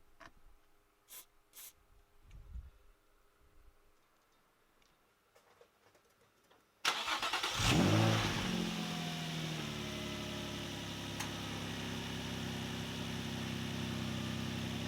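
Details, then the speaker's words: Nissan 350Z (VQ engine) started after fitting a new drive belt and tightening both tensioners: the starter cranks, the engine catches cleanly and settles into a steady, even idle with no belt squeal, sounding healthy. "all right so there we are run good everything's looking mighty fine now"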